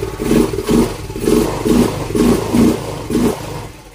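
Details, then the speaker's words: Yamaha Mio M3 scooter, dead for a year, after injector and fuel filter replacement (old filter dirty): runs only on repeated throttle blips about once a second, then fades and dies; no idle, throttle body cleaning and idle adjustment planned. "Umaandar na siya. Kaya lang ayun nga ah, kailangan niyong sabayan ng silinyador diretso paay siya."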